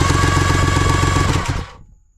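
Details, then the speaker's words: 1999 Kawasaki 900 STX jet ski, engine out for a top-end piston rebuild, new starter tested with no carburetor fitted: quick, even whirring spin with steady rapid pulses, clean wind-down; normal starter cranking. "so let's turn this on and contact that's the way it's supposed to work nice and fast like that yes"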